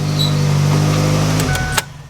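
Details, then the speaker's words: Rallycross car with freshly replaced clutch: engine runs normally but in gear with clutch out the car doesn't move, steady mid-pitched squeal from up front; clutch squeak, cause unknown, transmission to be pulled. "I just get a whole lot of squeaking which you can hear from up front right now"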